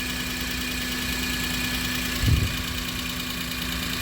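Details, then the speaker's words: Maruti Suzuki Alto800 engine idling quietly after a full engine rebuild for a failed crankshaft bearing and connecting rod knock; the earlier heavy "kat kat" knocking is gone and it idles smoothly with an even hum and no bottom-end knock. "पहले engine का बहुत ही न नॉज आ रहा था cut cut cut cut कर कर जो हमारा कनेक्टिंग रोड था ना उसका अभी देखिए ठीक है एकदम साइलेंट है"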